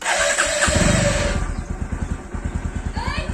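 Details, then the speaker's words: Pulsar NS160 at about 23,359 km, due for service: will not start on a single press of the self-starter, long harsh grinding crank before a rough uneven putter; owner also reports it stalls after about 30 seconds at idle. "ఇప్పుడు కర్ర అని sound వచ్చిందా ఆ sound వస్తుంది"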